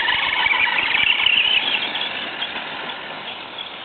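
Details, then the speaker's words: FTX Kanyon RC crawler with the stock 60T motor swapped for a 35T and a smaller pinion, fresh grease, gear mesh correct: loud high squeal labouring in low range at low revs, quiet at speed, motor not hot; cause unknown. "That's reasonably quiet at speed. And it's a hell of a bloody noisy down low."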